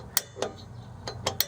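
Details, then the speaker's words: 2011 Toyota Yaris rear drum brake during shoe replacement: crisp clicks a few tenths of a second apart as the star wheel is turned, showing the adjuster ratchet is working correctly. "all right so you'll know you have it right if when you go to adjust this thing you hear the clicking of that of that rattan piece back here if it's doing this job okay"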